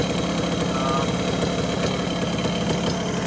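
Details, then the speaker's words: 1974 Honda MT250 two-stroke, first start after rebuild with new seals, NOS piston and rings and honed cylinder, air-fuel screw adjusted: steady, even idle with no knocks or hunting; healthy. "And idle that just a little bit. That sounds really good."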